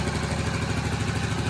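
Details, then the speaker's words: Restored 1984 ATC110 three-wheeler, first start after sitting since November with a cleaned tank and fuel lines hooked up: small single-cylinder putters at a smooth, even idle, no knocks or misses; slight smoke, thought to be paint burning off; normal idle. "It's smoking a little bit, but I think it's just mainly burning all the paint and crap that was inside it. It's getting all this oil and everything through the motor. First time in a long time. What's that? No valve check. No knocking."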